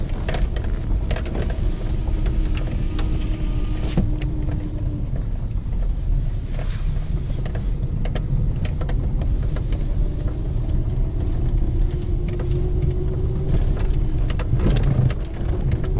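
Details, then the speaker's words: Lada 2190 crawling over broken ground before the suspension overhaul: irregular clunks and rattles over a heavy low rumble from the worn front suspension. "как подвеска передняя гремит сейчас ее будем менять"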